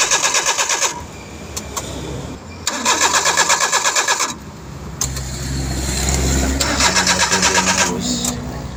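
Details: Suzuki DA63T with K6A engine cranking in repeated bursts, about three beats a second, without starting; no fuel coming out during the check; no-start traced to poor ignition fuse contact.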